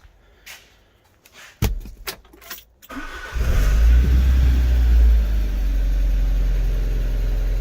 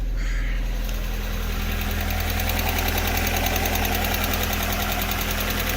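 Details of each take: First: Alfa Romeo 145 Cloverleaf under restoration, some wiring and a vacuum pipe just refitted, start: few clicks, engine catches promptly into firm, even idle, no stumble; a top-end tick was later found to be a sticking hydraulic lifter. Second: Alfa Romeo 145 Cloverleaf, restarted at idle: fast, light, even ticking from the top end over the hum, a sticking hydraulic lifter that went quiet once warmed up.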